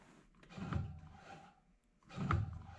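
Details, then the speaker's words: 1999 Bobcat 864 skid steer whose bucket would not tilt down, joystick test: two short smooth low whirs with quiet between, actuator moving normally; this joystick works fine. "and that's also working so now we know that this joystick works fine"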